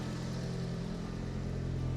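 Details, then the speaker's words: 1990s JDM car just imported from Japan, idling with a back box: a low, lumpy, uneven chugging beat under a steady drone, like a cylinder dropping out. A slight misfire, cause not yet known. "It's a bit of a misfire in it. So hopefully we can get that sorted."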